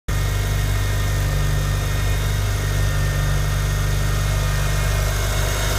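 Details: Mitsubishi Evo IX cold start: steady, even low idle with none of the ticking or tapping that appears when the engine is hot.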